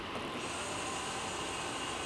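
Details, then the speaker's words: 1997 Mercedes S320 (W130) heater control valve unit: its electric pump is bench-tested off the car on direct battery power. It runs with a smooth, steady whir and even pitch, with no grinding or rattle. The pump works normally. "Sounds good. Okay, so pump works."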